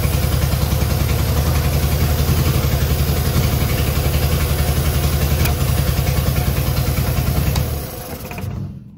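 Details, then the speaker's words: Long-stored Innocenti S Spyder fed from a fuel jug because the tank and line are clogged, just started on choke and starting fluid: lumpy, uneven idle around 220 pulses a minute, heavy low thump; runs rough, cause unclear. "final we have an engine that we can just start up obviously it could be running a lot better than it is right now but at least we have a good platform to work from now"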